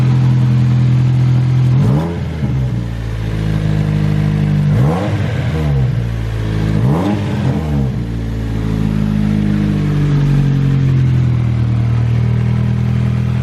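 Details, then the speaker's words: Nissan 240SX S13 SR20DET drift car with a new 3-inch EMUSA eBay catback exhaust not yet fully tightened: deep, raspy note that blats and puffs on each rev blip. Exhaust leak from loose, unbolted pipe joints. "all right well definitely an exhaust leak or maybe the fart can"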